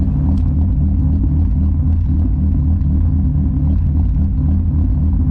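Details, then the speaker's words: Engine with Autotech 272 cams: deep even burble with a steady, slightly lumpy low pulse, no knocks or misses; normal idle. "So good. Got those Autotech 272 cams, and not a bad little idle."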